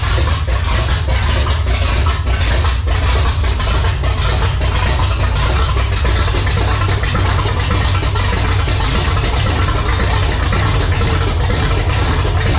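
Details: 1980 Pontiac Firebird Trans Am, newly installed replacement V8 on first fire-up, timing being checked: loud, open, unmuffled roar holding a steady, even beat with no misses or knocks; about 80 psi oil pressure on start, running healthy.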